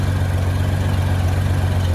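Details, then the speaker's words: 1994 Honda GL1500 Goldwing Aspencade after aftermarket fuel pump replacement, running 20+ minutes and nice and warm: smooth, steady low burble with an even beat, no knocks or misses; normal warm idle, zero smoke. "it's been this uh for 20 minutes now or more nice and warm"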